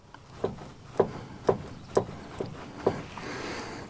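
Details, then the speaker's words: Freightliner Columbia during a full PM service, U-joint by the carrier (hanger) bearing checked before greasing: shaft rocked by hand gives six dull clunks about two per second, showing play. A bad U-joint is suspected, not confirmed. "We might have a bad U-joint there. Always check them before you grease them, because once you fill them up with grease, you can take the play out of it."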